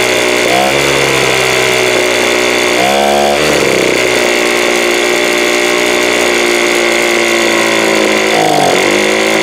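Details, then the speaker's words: 2017 Troy-Bilt TB430 two-stroke leaf blower with new spark plug: buzzy idle, pitch climbs slowly and lazily each time the throttle opens, sluggish throttle response; owner suspects carburetor (diaphragm, no flex) or fuel filter, plans carb adjustment/replacement. "hopefully you can kind of hear how you hit the throttle there it's like slow here slow coming up"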